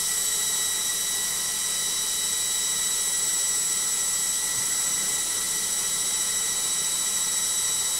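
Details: LOGIK washing machine on final spin: a loud, steady high whine over a hissy rush throughout the fast spin. The spin is noisy and the cause is not identified.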